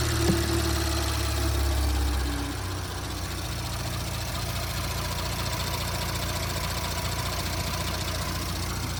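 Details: 2017 Audi S5 B9 EA839 V6, 67,000 mi, after engine removal, rocker arm replacement and upgraded cam adjusters: smooth steady idle with even low hum, bank-two tapping gone; valvetrain quiet and healthy.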